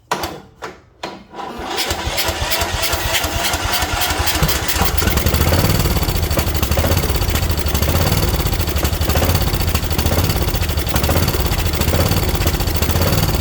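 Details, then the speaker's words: Craftsman mower with Kohler Courage: a few slow cranking turns, then catches and runs rough and uneven. Fuel starvation from a stuck carburetor needle; owner suspects a trashed carb bowl and butterfly position, carb removed next. "I bet the carb bowls is absolutely trashed. The way that butterfly is, that's probably why."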